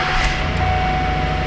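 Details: 2008 Ford Edge that came in with a no-crank and a flashing security light, running after a second key was programmed: a low, smooth, steady idle with no misses, knocks or hunting, so it is idling normally.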